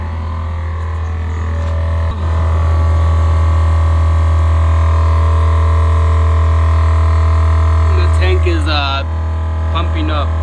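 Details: HornBlasters 244 train horn kit compressor on a GMC truck refilling the tank from about 40 psi with the key on: loud constant low drone with fast even pulsing, no knocking or squeal, running normally.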